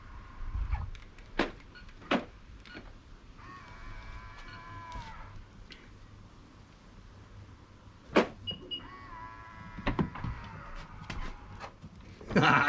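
Short electric whirrs of the lock motor run twice for a second or so between clicks and clunks; the actuator cycles but the latch stays jammed. Cause suspected, not confirmed.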